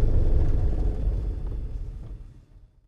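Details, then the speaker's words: 2004 Honda CR-V on tight turns and parking-lot maneuvers: deep low groaning judder pulsing about four times a second, fading as the car stops; rear differential shudder, to be fixed by draining and refilling with Honda-approved fluid. "today we're working on a 2004 Honda CRV it's got some noise and shuttering coming from the rear differential on tight turns and parking lot Maneuvers"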